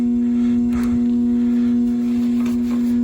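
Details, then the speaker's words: Central AC outdoor unit (48,000 BTU) not running during warm-air emergency call, only a loud steady hum from the contactor with no fan or compressor starting; bulging run capacitor found failed and replaced. "Outdoor unit is not running. It's humming though. I hear it humming. She's humming. Okay, we have a humming contactor."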